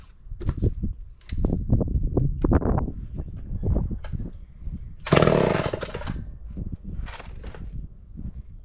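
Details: Homelite Big Red Super XL chainsaw with new chain and chrome new-old-stock muffler: crisp two-stroke bursts rising to a clean, full scream on each throttle blip, then dropping back; healthy, strong-running saw.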